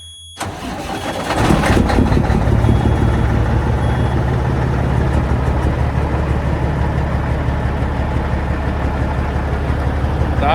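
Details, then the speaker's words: Peterbilt truck, Caterpillar diesel, cold start after failed injector found on the road: cranks, catches, settles into lumpy uneven stumbling idle, consistent with one failed injector misfiring; injectors to be replaced. "I went into work today, hooked onto a trailer, and tried going down the road, and we have an injector that has failed, and it really sounds bad."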